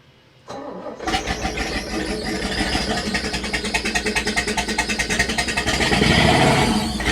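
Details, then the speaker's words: Engine on an abandoned Cruisers yacht, started for the first time in years. It cranks, catches and revs hard with a rapid uneven chatter and a faint high squeak riding over it, with its source unknown and still to be inspected. "Just a little bit at the very end when you really start revving it. I do want to see what is squeaking."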